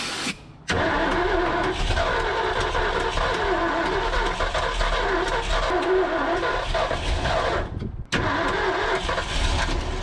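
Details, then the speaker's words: 1978 Ford F250 crew cab, abandoned for decades with a previously stuck engine: long uneven cranking with surges where it almost catches, then drops out. "All right, baby. Come on. Be good to me. Be good to me. That sounds a little more promising."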